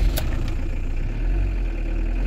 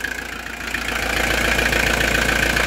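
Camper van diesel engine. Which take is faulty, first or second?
first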